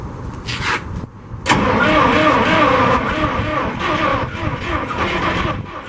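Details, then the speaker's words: 1963 International 549 engine with two distributors, cranked on ether starting fluid only, no gasoline: starter churns, then a few ragged firings flare up and stumble without settling; trying to catch on ether. "Right now I've just got starting fluid, some ether, just to see if it'll catch anything and go."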